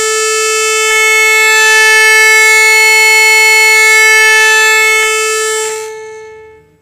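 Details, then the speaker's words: Orion R545A radio chassis, low-frequency signal injected into the amplification circuit: loud, steady pure tone for about six seconds, then cuts off cleanly; amplifier stage healthy, fault lies in the high-frequency circuitry. "loud isn't it well i'm injecting a low frequency signal straight into the amplification circuit as you can see right there and um well it's loud it's really loud so the amplification circuit works just fine"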